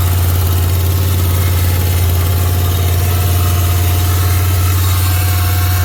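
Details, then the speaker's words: 1991 Chevy Silverado 1500 350 V8 converted to carburetor, after new cam bearings, new gaskets, lash set and carb adjusted: deep, even idle with a smooth steady beat and no ticking or knocking on top; the earlier noise is solved, normal idle. "set my lash and three adjust the carburetor see if it fires up hopefully that noise is gone"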